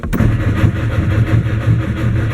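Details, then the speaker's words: 1959 Mercedes-Benz 180D/190 diesel with new Bosch glow plugs, rebuilt starter, Optima 900 CCA battery: starter cranks with even compression pulses, about four a second, never catches; cranks, no start, cause unknown. "Still nothing. See if and remember that's 911.25 cranking amps."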